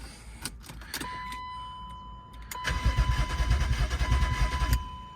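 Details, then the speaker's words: BMW E36 328i convertible unstarted for two years, EWS immobiliser bypassed by jumpering wires, battery cables tightened: starter cranks steadily about three turns a second for two seconds, never catches; seller claims it needs a fuel pump, and it possibly overheated. "cranks but it does not start dude told me it needs a fuel pump"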